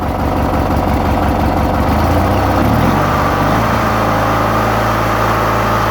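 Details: 1991 Murray riding mower (usually starts without choke) just started: small single-cylinder engine settles from a lumpy start into a steady, even idle with a low thump and no knocks or misses; normal idle.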